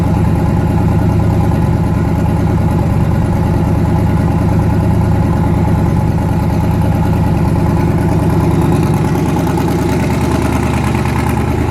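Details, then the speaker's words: Newly twin-turbocharged engine, first start after conversion, loud lumpy idle with uneven beat and skipped pulse; back cylinder dead, head gaskets done last year, fuel line weeping. "yeah I was trying to show you guys with that cloth that the pulses on this one there was like a skipped beat where this one felt constant"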